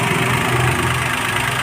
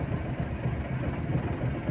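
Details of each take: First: CNG/petrol car that misfired and jerked on CNG with blinking check-engine light, running on CNG after repairing four partly broken wires: steady, even idle with no misses or stumbles. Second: CNG/petrol car running on CNG with blinking check-engine light: uneven, lumpy idle with irregular dips, misfiring and jerking on CNG only (fine on petrol); code P0202, cylinder 2 injector circuit open.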